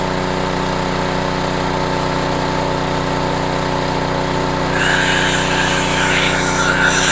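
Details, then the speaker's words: Homelite HGCA3000 3500 W generator after new carburetor and head gasket, under about 1,500 W heater load at a steady 124 V; constant smooth hum at unchanging speed, a blower-like hiss coming in partway, no bogging or surging; healthy running under load. "low heat full heat no problem but it's going to trip out at the GFI on the flug"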